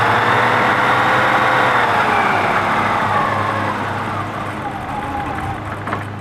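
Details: BMW M20 engine, first start after resealing the fuel system: runs briefly, then revs sag and fade instead of settling; won't hold an idle.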